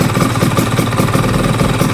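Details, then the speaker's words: Two-stroke motorcycle with PE 30 carburetor: busy idle with a fast metallic rattle on every firing beat from the loose one-way starter clutch housing, later tightened. "nah bunyi ini tuh bunyi yang dari rumah oneway-nya ya yang oblak itu"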